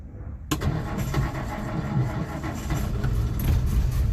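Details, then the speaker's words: Old Nash four-stroke fuel-system repair (cracked glass AC fuel pump sediment bowl, fixed with a fence post cap); after priming, engine starts and runs a little rough with an uneven, lumpy beat, but now has fuel. "There we go. There we go. That's it's running a little rough, but at least it's got fuel."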